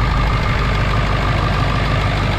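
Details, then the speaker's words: 7.3 Powerstroke diesel truck, just after a new ICP sensor and crossover kit were fitted: a steady, even idle with a deep, uniform rumble and no miss or knock, running much smoother. It is unclear which part fixed it. "But it definitely sounds like it's running a lot smoother. Hard to say whether it's the crossover kit or the ICP sensor."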